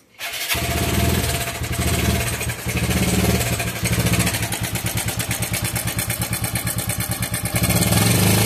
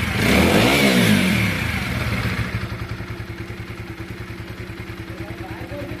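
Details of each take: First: TVS Apache RTR 4V motorcycle, engine oil only 400 ml of 1200 ml because it is burning oil: starts up, then fast metallic chatter over the idle about three beats a second; timing chain rattle. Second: TVS Apache RTR 4V motorcycle after an original timing chain was fitted and the rockers adjusted: a throttle blip, then a smooth, evenly spaced idle with no ticking or chain rattle; normal.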